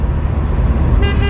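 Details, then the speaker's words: 1998 Mitsubishi Eclipse Spyder GS 2.4 L automatic, hurricane-flooded, while driving at about 40 with the rear wheels wobbling; clear, steady half-second honk over road rumble; horn works normally. "Horn works."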